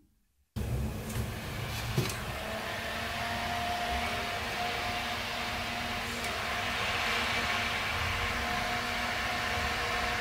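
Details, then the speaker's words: Corsair VS650 power supply fan after axle cleaned and fresh oil, bench-powered around 8 V: smooth even whirr, no rattle or scraping; absolutely silent even at low speeds. "no more crazy sound it's absolutely silent even at low speeds"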